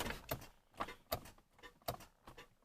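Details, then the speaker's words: Car with a dead battery, key turned before a jump start: sharp dry clicks about twice a second with no cranking, a telltale sign of a dead battery. "you hear it clicking that's a Telltale sign of a dead battery for sure"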